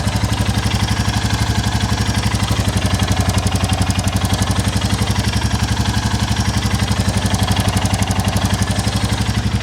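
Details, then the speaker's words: 2022 Royal Enfield Classic 350 Reborn single after quick valve check and adjustment, low on fuel: steady even idle thump about three beats a second; quieter than before, normal, with a slight exhaust blow remaining. "not sure it's massively different but it is better it's definitely better it sounds a lot more like the meteor anyway and it's not making me think oh that's a noisy engine"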